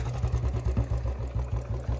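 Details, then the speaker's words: Royal Enfield Bullet 350 with pataka (backfire) mod, hot idle after backfiring, cold evening: steady rapid light kit-kit ticking over low thumping beat, worse after backfires and settling once cooled; valve-train noise suspected from misfire/backfire, unconfirmed. "ये देखो kit kit kit kit की आवाज आने लग गई और ये है ना ये नहीं है कि आती रहेगी ये अभी है ना दो-तीन मिनट बाद जैसे दोबारा स्टार्ट करेंगे ठंडी होने के बाद फिर वो सेट भी हो जाती है इतनी नहीं आती"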